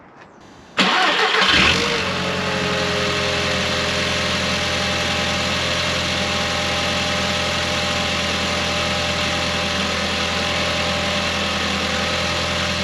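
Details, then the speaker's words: Audi TT Mk1 8N (S3 8L) first start after fitting catch can, larger intake tip and Pro Ram induction kit: quick crank, clean catch with short flare, smooth steady idle with loud intake hiss; no warning lights, normal start. "So it started all right, no warning lights or anything yet, so this has got to be a good sign."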